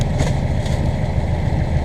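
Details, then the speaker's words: Newly installed diesel engine in a Morgan 41 Out Island sailboat, heard at its first start by the owners after the mechanic had already run it for an hour: steady, even low idle with no knocks or misses, quieter than the old engine. "well we may have to put some soundproofing in after all maybe I'm just not used to hearing an engine yeah the other one was louder I can tell you that"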